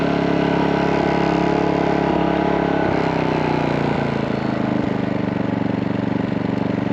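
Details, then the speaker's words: MaxPeedingRods 3200 W inverter generator, new, after about 15 minutes of full-speed break-in, switched to eco mode: steady, even quiet drone with a slight rhythmic pulse, no knocks or rattles; normal running. "all right you guys so it's been running for about 15 minutes maybe just a little bit longer so we're going to put an eco mode so quiet it is"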